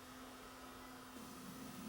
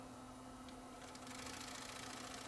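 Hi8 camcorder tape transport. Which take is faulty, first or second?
second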